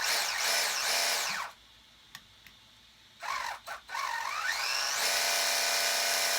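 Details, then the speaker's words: RC Sweet Tooth truck after fitting new motor and replacement gear set (old gears didn't fit), motor wires swapped; high motor whine rising and falling with throttle, no longer the crack noise of gears rubbing and grinding; normal gear mesh. "but it doesn't make that crack noise it's not it's not rubbing up against the other gear and grinding gears it's not great doing"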